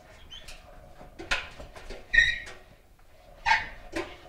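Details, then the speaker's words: GE front-load washer WCVH6600HWW that smoked during a wash: short, uneven rubbery squeaks as the drum is turned by hand, because the trunnion/spindle broke free and the shifted drum rubs and melts into the door gasket. "hear the the squeaking that you get the drum itself is actually broken free on the back the uh the trunion or it's kind of like a spindle that that holds the whole drum assembly and place"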